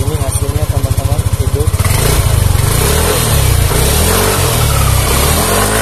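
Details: Yamaha Aerox scooter that was dead and stalled when off throttle, after repairing broken injector-circuit wires, no error codes: starter chatter under two seconds, then the engine catches and runs evenly; starts normally.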